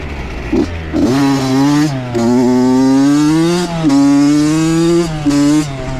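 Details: Honda CR80 two-stroke with Keihin PWK 28 carb, after replacing a spark plug the owner thinks was oil-fouled: crisp, even revs rise and fall cleanly through several blips with no stumbling or misfire. Healthy, though possibly lean.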